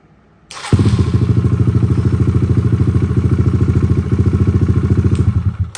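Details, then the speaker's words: Kawasaki KLX140 after rejetting the stock carburetor: engine fires at once and settles into a steady, even single-cylinder thump, about three beats a second; clean, crisp normal idle. "we got at the bottom and it sounds like pretty crisp I mean they don't they don't get any better than that right there"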